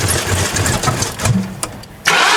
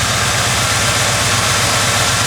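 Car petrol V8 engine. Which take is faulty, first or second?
first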